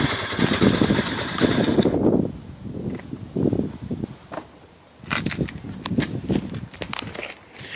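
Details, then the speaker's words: 1985 Honda 250SX ATC three-wheeler, restored from a basket case, first kick start: single cylinder crackling into life, rising and falling with throttle blips, firing cleanly between pauses. Normal running. "Alright boys, there you have it. 1985 Honda 250 SX, back up and running."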